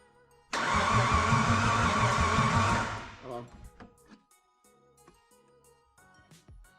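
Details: Turbocharged Mitsubishi Pajero with a newly fitted forged V6 on first start attempts: the starter cranks, it catches roughly and roars about two seconds, then dies back to cranking clicks. Cause suspected, not confirmed.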